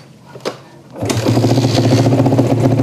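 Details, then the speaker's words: Yamaha Jupiter MX motorcycle, just started and not yet repaired: it catches after a brief crank and settles into an uneven, lumpy, wavering idle and won't take throttle. The mechanic suspects a carburetor setting giving too little or too much fuel. "Oke, Mas Bro. Intinya motor ini mbet brebet brebet begitu."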